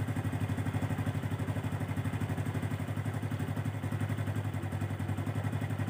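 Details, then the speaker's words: Honda Revo Absolute 110 after clutch repair (clutch dampers and clutch shoes checked) and oil refill. Steady single-cylinder idle thumping about four times a second; the previous clutch-area rattle is gone. Normal idle. "Oh. Suaranya ya enak kan guys. Asli guys, gak ada kretek-kretek lagi."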